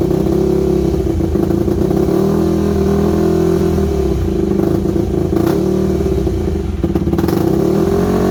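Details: Yamaha WR250 single-cylinder with good compression, just revived: rough idle that hunts and stumbles, tone wavering instead of holding steady; carb needs rebuilding, owner unsure idle jet is fully unblocked, irregular idle.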